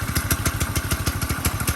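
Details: Grasshopper go-kart with 4 hp single-cylinder engine on a jack stand, thumping evenly at idle with a light clatter on each beat, likely from the clutch.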